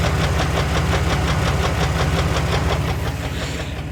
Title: Rod Knock